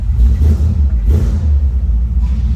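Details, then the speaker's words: 1957 Ford Ranchero with a 292 V8 and automatic transmission: deep, steady throaty rumble settling into an even idle with no misses or knocks. Normal idle. "little throaty rumble coming out of that 292."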